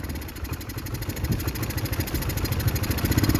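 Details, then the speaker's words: Chinese 150cc GY6 scooter with the air box removed and no air filter: uneven sputter at about 160 pulses a minute that smooths and idles fast with the intake partly covered by hand. Owner suspects a lean mixture from too much air. "If I put my hand covering the intake, it runs better and it idles really fast."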